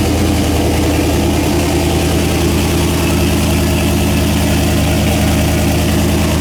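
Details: Engine first start after head gasket replacement, fuel system primed: steady, even idle with a smooth low thrum, no knocks, misses or hunting; runs cleanly, normal idle.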